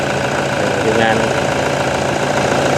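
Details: Toyota Vigo 1KD diesel after a pump rebuild (plungers, O-rings, seals) that fixed the crank-no-start: even, steady idle clatter with no knock standing out; it settles and runs smoothly.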